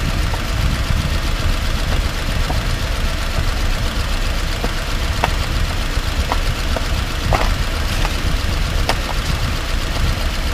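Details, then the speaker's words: 2018 Subaru Outback 2.5i Premium, 11,800 miles, recorded from inside the cabin on an old potholed asphalt road: heavy road rumble with sharp clunks from the driver's side front suspension, partly masked by jangling keys. The dealer could not replicate it. "the keys uh my keys make a jangling sound just kind of masks the the clunk a little bit but you can still hear it as we drive down this potholed marked country road"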